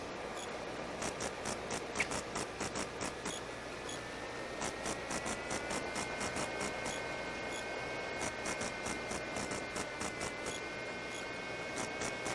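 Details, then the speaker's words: Skywalker 1900 RC plane test flight with a rebuilt 360° pan and tilt unit: sharp crackling ticks about four per second over a steady hiss and a wavering whine in the audio; owner suspects the GWS 360 pan servo is causing the electrical noise. "That noise certainly gets on your nerves. Gets on mine. And I promise I will remove it."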